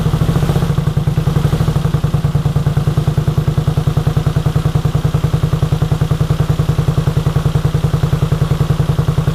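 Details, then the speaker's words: 1983 Honda VT250 V-twin, about 63,500 km, just revived project bike with freed seized carb slides: steady even low thumping idle, about 3.5 beats a second, no knocks or rattles; healthy, though it needs a tune-up. "so i am calling that a big success this thing runs awesome for a 250. um considering there's 63 and a half thousand k's on it you would not notice it this motor runs like it is pretty much new"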